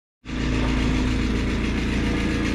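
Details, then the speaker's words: Bryant furnace inducer motor running with a loud steady low drone, much noisier than normal; the furnace is missing a screw, and later it sounds only slightly better; cause not confirmed. "Wow, it's loud. Holy smokes, that's loud."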